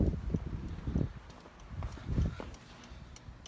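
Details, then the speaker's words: 1989 Toyota pickup 4x4 with LED blinkers after replacing the flasher relay: the blinker relay ticks steadily at about a hundred clicks a minute, a normal flash rate with no hyper-flashing, front and back. "Yeah. No more hyper flashing. Let's go back over here. Yep. Exactly what it should do."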